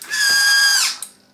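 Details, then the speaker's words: Motorized Iron Man helmet faceplate, reworked with magnetic braking so it stays open unpowered: a short motor whir winds down, then one crisp click as the relay cuts power; working as intended. "if I push it I can in fact push it down but obviously I can walk around without it falling down which is much better and you can hear the relay clicking and cutting the power again"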